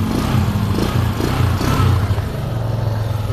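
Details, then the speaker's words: Suzuki Skydrive scooter converted to a GY6 D carburettor, idle mixture just adjusted slightly lower: steady, even putter at idle with a light blip, holding without stumbling or dying; idle now good. "So gumanda na din yung kanyang minor guys. Maganda na yung minor niya, hindi na namamatay."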